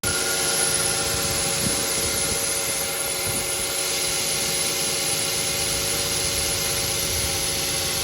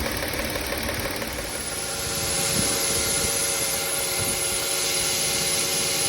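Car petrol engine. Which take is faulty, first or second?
first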